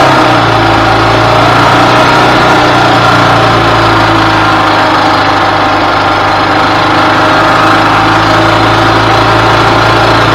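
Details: 2000 Yamaha G16A golf cart engine after rebuild for a loud racket and no-go, fresh oil, filters and spark plug: steady, smooth single-cylinder beat at constant speed, no knocking or rattles; running healthy.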